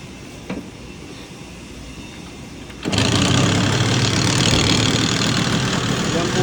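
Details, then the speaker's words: Yamaha TZR 250 3MA SP two-stroke with dry clutch: engine starts and settles into busy idle with light dry rattle on top, normal dry-clutch chatter that changes when clutch lever is pulled. "po yung tunog niya. Parang may takatak. Pero pag pinisil mo yung clutch niya, magbabago."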